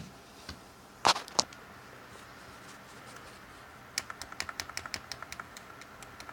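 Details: Brand-new Xbox One Elite controller, sticky right trigger out of the box: light plastic clicks, a pair then a quick run of about a dozen taps as the trigger catches on an overhanging rubber stopper.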